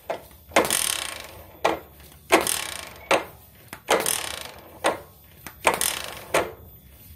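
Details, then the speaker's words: Suzuki Shogun 110 motorcycle kick-start: about eight quick hard kicks, each a rough ratcheting clatter with no catch or firing; slow kicks engage but fast kicks slip, kick-start one-way clutch slipping, rough noise sometimes. "Nah, ketika dihentak itu dia ngelos. Tapi kalau di di engkol pelan itu bisa. Tapi kalau waktu dihentak cepat untuk engkolnya ini langsung ngelos."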